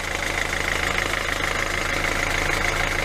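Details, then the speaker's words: 2012 Hyundai i40 1.7 diesel just restarted after an alternator clutch pulley replacement for a high-pitched squeak: a steady, even idle with no whine, rattle or chatter from the belt end. It is now quiet, before warm-up; the old pulley's clutch was damaged and clicking. "so at the moment it's quiet we see after roon a few minutes when we warm up"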